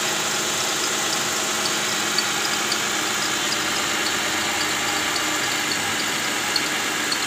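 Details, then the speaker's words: Toyota Camry 2GR 3.5 L V6 at idle: fast high chirping from the fan belt area between the idler bearings and tensioner; cause was the tensioner's worn bearing and weak spring, cured by replacing the tensioner. "Nah, untuk kerjaan kali ini ada keluhan bunyi di area mesin. Bunyinya itu cicit begitu ya. Nah, itu sepertinya dari area yang putaran ikut dengan fan belt ya. Areanya antara idle bearing dan juga tensioner."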